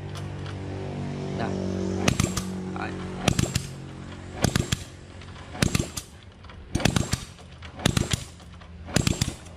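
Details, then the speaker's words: Honda Wave motorcycle after repairing a broken intake rocker arm and regrinding the cam, finger over the spark plug hole while cranking: sharp air pops about once a second, strong puffs; compression healthy again, whereas before the repair there was none. "hơi rất là khỏe anh em đó lén rất là Z1 đầu ngón tay luôn"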